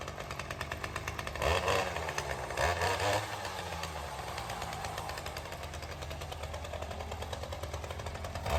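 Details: Ryobi CS30 two-stroke string trimmer, cold start on new HiPA aftermarket carburetor, untouched since tuning, primer not yet used: fires within a couple of pulls, steady buzzy idle without stalling or hunting. Normal cold start and idle.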